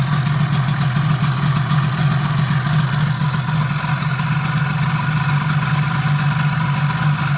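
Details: Yamaha 12A outboard, first start after major overhaul; steady, even idle with low smooth drone, no knocks or misses; normal idle.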